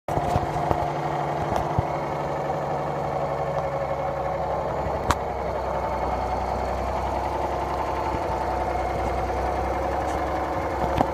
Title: Engine knock